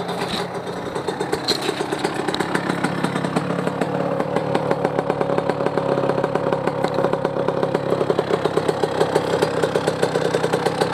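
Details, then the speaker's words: Yamaha YZ125 two-stroke first start after rebuild with new top end and cylinder, started in two kicks: crisp, rapid, even popping settling to steady idle with no misses or knocks. Normal healthy two-stroke idle, seemingly more power. "Yeah, to me it sounds pretty [ __ ] good. I guess it has a lot more power from the last rebuild."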